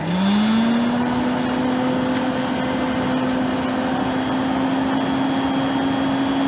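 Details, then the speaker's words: AEG Deluxe Electronic 608 Black Line vacuum cleaner before refurbishment, started on low power and turned up: spins quickly to a steady, clean whine with no wobble or rattle; motor incredibly strong even on the 250 setting. "Incredibly strong, even on the 250"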